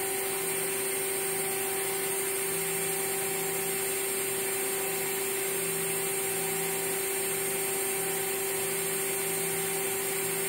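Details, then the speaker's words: Water-cooled CNC spindle at 23,000 rpm, recorded on a cell phone sitting closest to it: constant high, pure whine with no rumble, grinding or wobble, quiet enough to talk over at normal voice. Normal running. "Uh you can very easily talk over this. I'm quite sure the audio you'll be a you can hear my voice and I'm not speaking loudly."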